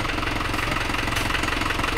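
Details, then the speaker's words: Isuzu Panther Turbo 4JA1 diesel just overhauled (new liners, pistons, rings, bearings, gaskets, thermostat, radiator hose) after overheating from a coolant leak ruined a liner: steady, even idle clatter with no misses, no blow-by and no smoke; normal. "Nah, mesin normal ya, tidak ada bobos dan tidak ada asap lempar kita."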